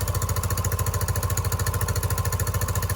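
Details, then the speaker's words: Yamaha YBR 125 single-cylinder, 15,000 miles, checked after an accident: steady even thumping idle about 200 beats a minute, no misses or knocks; despite a slight blow at the bottom, engine sounds good and healthy. "It just sounds good. So, yeah, I mean, I think he got a bargain."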